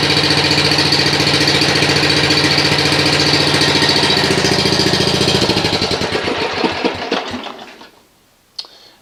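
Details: Snapper RER riding mower, test run after repairing a no-start caused by a cable grounding the ignition coil, with a new air filter fitted: a steady, even chuffing for about six seconds, then a smooth wind-down at shutoff. Normal, healthy run.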